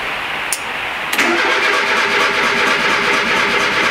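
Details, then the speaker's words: Vehicle on ethanol-blend fuel at about 10 °C, cold start after starter motor replacement: brief crank, catches quickly, holds smooth even idle with no misses or knocks; runs much better since new starter; normal start and idle. "Comme tu l'entends, il tourne beaucoup mieux depuis que j'ai changé le démarreur."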